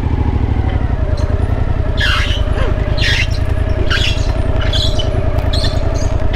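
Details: Overland vehicle riding near the Honduras border: sharp chirping squeak repeating about once a second over steady engine drone from the rear wheel; owner suspects the chain and plans to spray it to see if the noise stops.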